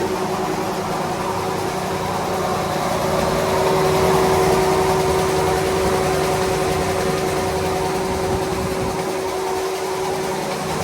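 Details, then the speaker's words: Daikin commercial air handler serving a large auditorium, its blower running with a steady loud roar and a constant whine from worn blower bearings; the blower motor was already replaced for loud bearings, and the blower bearings are to be replaced. "All right, today's video, we are going to be replacing some blower bearings."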